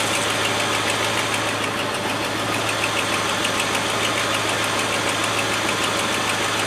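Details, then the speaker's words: Land Rover 110 V8 idling warm, gauge about halfway, hoses pressurised but thermostat not yet open: smooth, even, fast-ticking idle with low hum, no knocks or misses, "like a little sewing machine". Normal idle. "Like a little sewing machine, isn't it? With Singer on the top."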